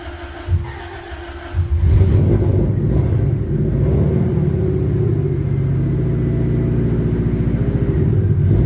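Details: 1966 Dodge Coronet, carbureted, cold start: catches after a couple of seconds, then settles into a steady, even beat with no knocks or misfires; normal idle after cold start.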